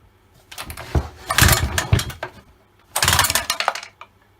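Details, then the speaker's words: Old Stihl 08S chainsaw on its first start in a while, after petrol was squirted down the bore: it catches in two rough, sputtering bursts with a clanky metallic rattle, as the top end is rattling. Cause not yet confirmed. "and definitely runs it's a bit noisy it's a bit clanky one of its uh top ends rattling a bit"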